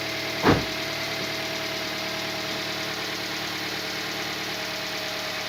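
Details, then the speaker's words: Toyota Vitz 2SZ engine first start after repair of a knock that persisted when hot, belts not yet fitted: even, soft idle with a steady hum and no tapping or knocking; runs smooth and healthy. "ну работает мягко работает хорошо"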